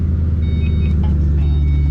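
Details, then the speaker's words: Car after nut-and-bolt check, startup heard from inside: steady deep rumble with no metallic buzzing or tapping on the chassis, where the exhaust previously always rattled; exhaust now secure. "The exhaust didn't rattle on the chassis. The exhaust always rattles on the chassis when I start it."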